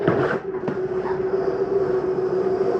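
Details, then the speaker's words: 2022 Jayco Eagle HT 31MB, slide number three retracting: steady even mid-pitched motor hum with light mechanical rumble as the slide pulls in; normal slide-out retraction. "just slides in i have a lot of room over here"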